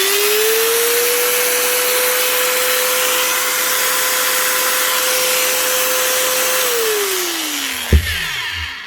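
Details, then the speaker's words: 2010 Bosch GWS 660 4½-inch angle grinder after two new bearings, washers and gearhead regreasing. Initial struggle as the grease spreads, then the whine climbs and holds steady and runs down cleanly; gearhead sounds healthy. "you can hear that initial struggle as it tries to get the grease moved around the head once it's warmed up moved into position you can hear the speed picking up then"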